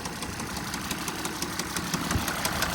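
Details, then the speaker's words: 2012 Mercedes ML at a salvage auction, listed as no-start: sharp, regular knocks several times a second over a rough idle, deep in the engine, a rod knock; no smoke. "oh no it's not smoking but she is definitely someone's knocking and nobody's home"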